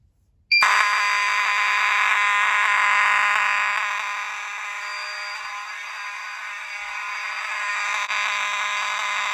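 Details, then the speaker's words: Alarm horn driven by a Potter PFC-6006B panel on filtered DC, not full-wave rectified. A loud, continuous buzzing tone, slightly rough but even and steady, which is normal operation. "So this is filtered DC, as you guys can see."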